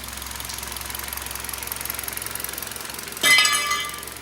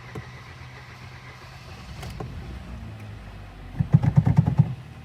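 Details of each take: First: 2012 Hyundai Solaris 1.6 G4FC at 261,000 km, using about 1 L oil per 1,000 km after losing power: quick, even hollow knocking around fourteen a second over a quiet idle; clearly audible piston slap, engine later bored 0.5. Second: Hyundai Solaris 1.6 G4FC, apparently a 2012, at 261,000 km, first start after engine rebuild with new Bosch spark plugs: quiet cranking for a few seconds, then firing pulses as it catches cleanly, oil pressure up; normal start.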